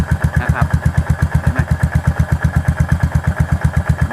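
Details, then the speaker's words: Yamaha SR400 single-cylinder at idle after repairing noisy valve rocker arms: even, regular thump with no top-end tapping, idle very steady and much quieter than on arrival. "ก็มีเสียงเครื่องที่ทำงานแล้วนั่นเองนะครับข้อเหวี่ยงที่มันทำงานเองนะครับดูเดินเบานิ่งสุดๆอ่ะฮะ"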